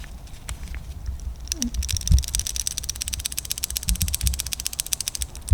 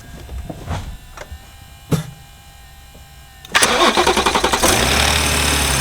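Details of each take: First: BMW G30 B58 engine's worn camshaft follower, removed and spun by hand close to the microphone: rapid crisp ticking about a dozen clicks a second from a damaged roller bearing, fixed by replacing the follower. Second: BMW G30 B58 just after camshaft follower replacement and fuel pump refit: a few short cranks, hesitating because fuel pressure is gone, then it catches and settles into a smooth, even idle with no ticking; normal start.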